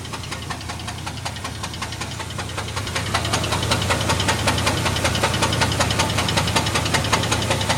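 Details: 1998 GMC Jimmy 4.3 Vortec V6 running with a steady, sharp rod knock, about two to three knocks a second; the engine was later replaced with another 4.3.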